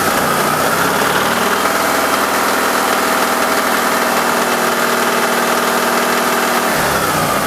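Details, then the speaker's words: Alfa Romeo 166 2.0 TS at fast idle: a steady, busy ticking knock from the top end stays the same with the cam phaser (variator) solenoid unplugged, so it is not the timing belt or variator; source unknown, oil pressure to be checked hot next. "Ну что как слышно звук остался"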